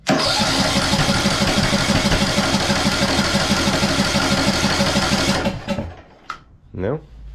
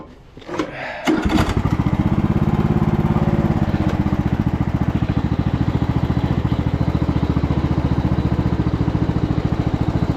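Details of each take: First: 2014 Ariens (Husqvarna) 42-inch riding mower, throttle cable not closing fully: steady cranking about three turns a second never catches; ignition timing off, owner first suspected fuel or stuck valve. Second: 2014 Ariens 42-inch riding mower driving forward, with a failing stator to be replaced (about 14 V at idle) and no brakes or reverse yet. Engine catches and settles into an even low thrum with no drive-belt squeal or slap; normal running.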